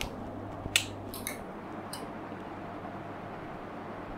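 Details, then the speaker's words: Panasonic 42-inch plasma TV, dead with no standby light, after reconnecting loose cables: a few sharp dry clicks at switch-on as the relay pulls in and light returns; relay click at power-on. "some clicking sound oh we got light we got life"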